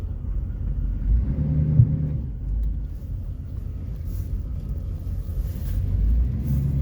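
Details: 1993 GMC Yukon SLE 350 throttle body injection, cold start after sitting about five to six months: it starts readily and settles into a low, steady, even V8 idle with no knocks or misses. Normal cold idle.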